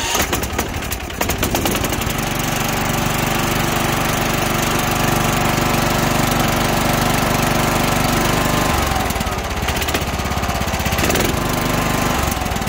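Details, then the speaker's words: Husqvarna YTH21K46 riding mower, Kohler SV610-0212 single-cylinder engine, after repair of click-no-start fault traced to a bad battery cell and bad connection (not solenoid or starter): brief crank, catches immediately, steady even run; normal start every time. "so now it fires up every time each time you turn the key and everything like that"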